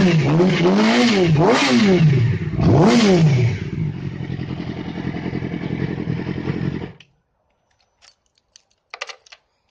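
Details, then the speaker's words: Yamaha R6 after engine rebuild, which had a knock at 4,000–6,000 rpm; after replacing the cam chain tensioner the knock is gone: quick revs climb and drop smoothly with no knock in the upper range, then shuts off; normal revving. "после перебора двигателя яма R6 был стук с 4 до 6.000 поменяли ГРМ натяжитель в цепи и звук пропал"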